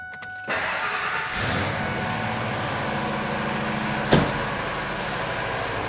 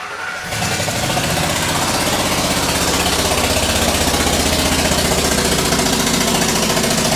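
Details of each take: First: Ford Triton with aluminum heads after repairing a blown-out spark plug thread with a 14x1.25 insert, new plug and coil: short crank, fires at once into a steady even idle; popping noise gone. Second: Ford Triton truck with aluminum heads, spark plug blown out of stripped threads: engine catches into a loud, sharp, rapid popping chuff about four a second over idle; fix is a 14x1.25 mm thread insert with new plug.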